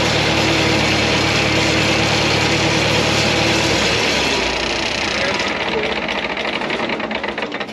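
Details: LeRoi four-cylinder gas engine on a Bantam T35 crane atop a 1945 GMC 6x6, revived after 8+ years sitting: an even putter at a steady low idle for a few seconds before the note fades. The fourth cylinder sounds good; it runs fine.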